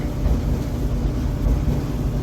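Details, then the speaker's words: Dryer after repair, idler pulley removed, venting checked good: even low drum rumble with no squeal or thumping; could sound better but satisfactory, expected to wear in to normal sound after two or three loads. "dryer operation could sound better to my hearing but this is satisfactory after two or three loads it'll wear into a normal normal sounding dryer"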